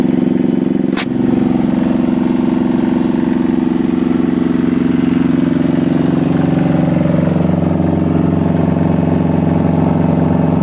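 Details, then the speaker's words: Diesel generator after a fuel problem was fixed, cold start without glow plugs (engine about 70°F, 65°F outside): one click, then smooth even steady running with no knocks or hunting; normal running. "so it was just an update to the diesel generator and it seems to be working good now"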